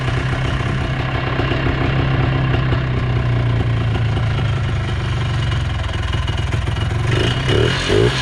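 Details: 1980s Polaris 250cc two-stroke ATV revived after years dormant, with fuel line replaced and started on choke, airbox off: steady, crisp two-stroke buzz on an even beat, no misses or bogging. Runs well; old varnish burning off; carb may need minor tweaking.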